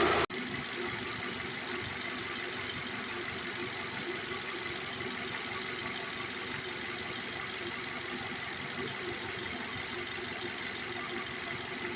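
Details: Hyundai i10, engine idling with the AC on: a steady, gritty rattling whir over the engine, from a worn AC compressor bearing.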